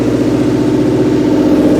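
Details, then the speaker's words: Subaru Forester cold start at idle: steady, rapid put-put puffing from under the vehicle, said to fade once driven, already quieter as it warms; exhaust leak suspected at the exhaust manifold, not confirmed. "clear exhaust leak. Sounds like maybe from under the vehicle. Let's go take a look. Yeah, I can hear it somewhere around in here. It sounds like it's coming from exhaust manifold."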